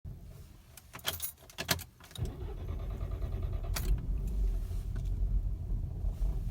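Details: Mk6 GTI restarted hot after being driven to operating temperature and then switched off for about 15–20 minutes: keys rattle, the engine catches into a low, lumpy idle that surges and wavers, and it threatens to stall. This happens randomly and the owner cannot find the cause.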